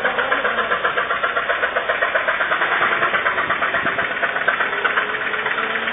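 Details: Toyota RAV4 with 1AZ engine needing replacement: steady idle with a sharp, fairly regular tapping around four per second riding over it; a deep internal engine knock.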